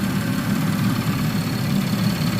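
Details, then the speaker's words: Audi A5/A6 3.2L after major repair for internal coolant leaks, warm after 15 minutes idling with heat on high to purge coolant air: smooth, even low idle, steady hum, no knocks, misses or vibration; healthy warm idle. "you can see just a little bit of movement in there but there's no movement at all on the engine there's no vibration just that line right there"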